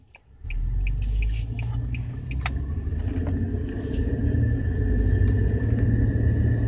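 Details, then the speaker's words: Steelman Chassis Ear microphone clipped on right front wheel bearing while driving, owner chasing front-end noise and vibration that worsens with speed: low, even rumble with faint steady tone, no grinding; sounds like normal rotor noise, braking heard. "just sounds like a pretty normal rotor noise rotor impaired noise that's me breaking that little shift"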